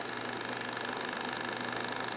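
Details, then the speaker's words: Red and green laser star projector in a lamp fixture whose fan was oiled, running at its slowest speed. A fast, even buzzing flutter with a thin whine; noisy motor that the owner says he cannot fix. "the green one and the red one doesn't appear is noisy but there's nothing I can do to fix it really"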